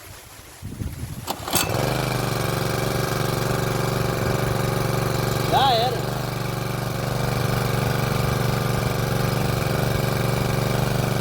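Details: A small petrol water-pump engine catches after a pull and settles into a smooth, even run with no scraping, after a loose part inside the pump was tightened four or more turns.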